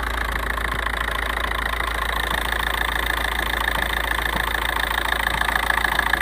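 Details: 1.9 TDI diesel idling: light, very regular tapping three or four times a second over smooth idle; source unclear.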